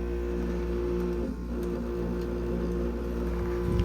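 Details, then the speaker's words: Carrier UC series 8,400 BTU window air conditioner, compressor on, possibly installed backwards/poorly: loud constant low drone and hum, no knocks or rattles; unusually noisy, cause unconfirmed, owner suspects poor installation; later quiets down. "Why is this thing so freaking loud?"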